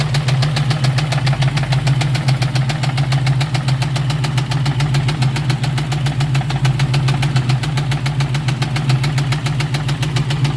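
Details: 1999 Ford Mustang GT 4.6L 2V at idle: a steady deep idle with a dull, regular knock about three to four times a second. The owner suspects a rod going out, but this is unconfirmed.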